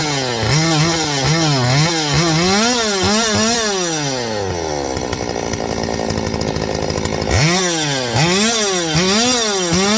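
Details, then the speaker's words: Stihl 025 two-stroke chainsaw: quick rev bursts, then it sags and hangs at a lower flat note before picking up, bogging after revving. A vacuum leak is suspected, tested by squirting 2-cycle mix around the saw. "All right, so I'm going to get this thing started. Now, you see that? How it falls on its face?"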